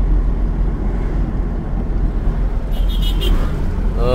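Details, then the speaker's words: 2000 Ford Ranger road test after replacing the rear differential, wheel bearings, pinion and carrier bearings and oil seals, mic aimed low: only a smooth low road rumble, no whine, hum or clunk from the rear axle; differential now quiet. "Sana wala nang ingay yan. Let's go. Grabe, sobrang tahimik na guys. Nakakatuwa."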